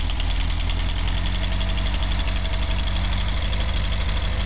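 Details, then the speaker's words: 1959 Mercedes 190c engine in final tuning, timing set at 38 degrees maximum total advance: a low, smooth idle with a faint, steady light click that was judged fine; a normal idle. "nice idle sounds good sounds good yeah got a little click click click let's see exactly yeah that's all right"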